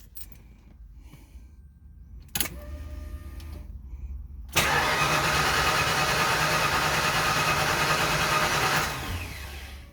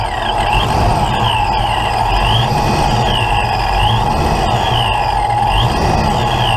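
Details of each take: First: Mustang engine first start attempt, intake reinstalled: fast even cranking about three beats per second for four seconds, never catches; cranks but no start, cause still to be troubleshot. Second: Ford Mustang with a big cam, start while setting ignition timing: engine catches and settles into a steady, even run with no misses, knocks or stumbles; sounds healthy, owner calls it a little rough at idle.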